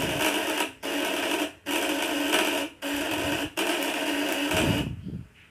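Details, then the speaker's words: Coil device with contact breaker (platina) set at 500: harsh raspy buzz in sub-second bursts cutting out between, rough and uneven; dirt on the points, which need routine smoothing. "udah Hai kuat ya hanya ada kotoran di platinanya nih"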